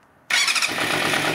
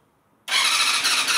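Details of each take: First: Vintage Yamaha 250cc bike first started after 10 years sitting outdoors, on mismatched carbs, warming up: it catches and settles into a busy, even run with no misses or knocks; normal running, carbs may still need adjusting. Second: Vintage Yamaha YZF 250 that sat outdoors for 10 years, carbs previously cleaned, on full choke. Steady starter cranking about three pulses a second that never fires. An ignition box connection was unplugged, so there was no spark: cranking, no start.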